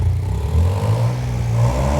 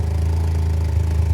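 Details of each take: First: Vauxhall Corsa with replacement engine, first run: revs up and drops cleanly with a raspy puffing blow underneath; exhaust leak at the flexi section, which needs welding in. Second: Vauxhall Corsa with replacement engine, first run after building oil pressure: deep, even idle, no knocks or misses; engine sweet, but loud droning big-bore exhaust blowing at the unwelded flexi.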